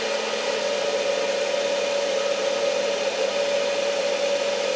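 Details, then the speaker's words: Victron Phoenix/MultiPlus inverter running a hair dryer, about 600 W load: strong steady hum over the fan rush as the load distorts its sine-wave output, with the voltage dropping. "can probably hear the inverter humming. And same thing is going to happen with the voltage. The voltage will drop. Even with very little load."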